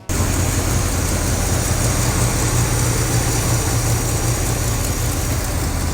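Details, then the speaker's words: 1968 GMC truck, V8 started for the first time after sitting 30+ years, with fuel leaks: fires and settles into a deep, fairly even idle with steady low rumble and no knocks or misses. "Got a few gas leaks, but it runs, it sounds good. I mean, it sounds really good."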